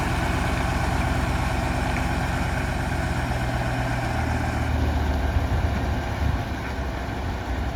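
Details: Tatra 815 V10 diesel back home after engine repair: a deep, steady idle that stays even with no knocks, misses or hunting. The engine is running properly.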